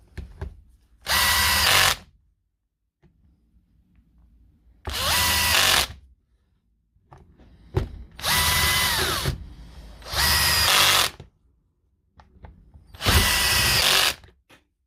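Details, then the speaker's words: Power tool after motor reassembly with new brushes replacing badly worn, crumbling ones: five short bursts of high motor whine, each starting crisply and running evenly without sputtering or cutting out; running normally. "that's it back together now if you look at those brushes they were well beyond their shell by dat so that should be a whole lot better now"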